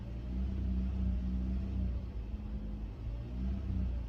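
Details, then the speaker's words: 2014 Toyota Corolla LE, 1.8L 2ZR-FE, code P2118: low, unsteady idle surging and sagging every second or two; RPM drops and it shifts rough in gear with barely any throttle response. Open in the throttle actuator motor wiring. "Does not like that. And then when you put it in gear, I'll show you that real quick also. You put it in gear and the RPMs drop, but it shifts real rough."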